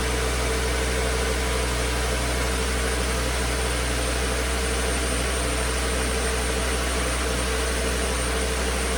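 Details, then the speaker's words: 2009 Volvo S40 T5 AWD R-Design, flood-damaged Copart car, alternator idler pulley had failed, low battery on a charger: steady engine drone under a constant hiss, no stumbles, knocks or surging; engine idles smoothly. "This is good news. We know that the engine is good. We know that it runs smooth."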